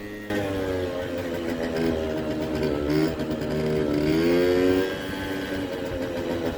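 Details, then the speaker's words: Kymco 50cc two-stroke scooter (original 39mm piston, Koso 89mm variator with 8g rollers) idles buzzy and surges and sags unevenly with a dead mid-range, then suddenly pulls; owner suspected fuel or carburetor, later suspects a leaking cracked block. "The scooter runs very unevenly. The mid-range doesn't work. Doesn't seem to be working. But suddenly it gets gas and it pulls away."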